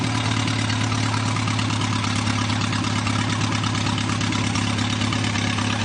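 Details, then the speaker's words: Newly rebuilt Triumph TR4A 2.1L four-cylinder, first run test with small radiator and some oil leaks: smooth, even idle with a steady low thrum and no knocks or misses; engine runs healthy. "But anyway, let me start it up, and I'll run it for a few minutes and let you hear it run."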